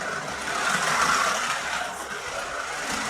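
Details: Scalextric Ford Anglia 105e Broadspeed slot car, magnet removed, no other modifications: loud buzzy motor whirr with rough fluttering chatter as the hard, out-of-round tyres hop on the track and the wheels try to spin up.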